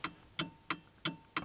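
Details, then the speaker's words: Nissan Micra K11 with electrical faults, no fuel pump or blower sound, instrument cluster removed: crisp even tick about three per second in quiet; hazard flasher relay clicking normally, hazards working. "the hazard lights work that's appropriate i can't actually tell they're on there apart from because of the noise"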